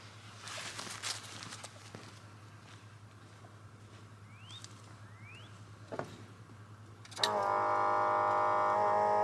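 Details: 1969 Buick Special Deluxe 430 big-block with big cam, parked fall 2021 to spring 2023, restarted in warm weather after finding the choke had been mechanically closed all the way: catches at once and settles into a steady, even idle with no misses; some choke smoke.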